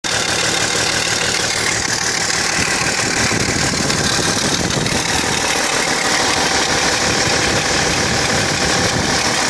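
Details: BMW 330Cd diesel at idle: a busy idle with a loose, fairly quick tick, about three per second, source not identified. Engine ticking at idle.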